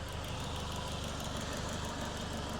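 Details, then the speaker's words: Boosted Ford 2000 RS Cosworth replica with freshly rebuilt forged engine, idling at operating temperature with radiator fan on; smooth, even low idle with soft hum and fan whoosh, no tapping or knocking, quiet normal idle. "That is a quiet quiet engine. And the fan is on. It's up to temperature."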